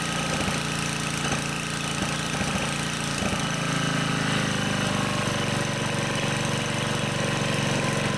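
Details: Honda HR215 lawnmower, warmed up, after unplugging the carburetor slow (pilot) jet and resetting the idle screw: steady even idle, revving cleanly with no hunting; the previous low-speed surging is fixed.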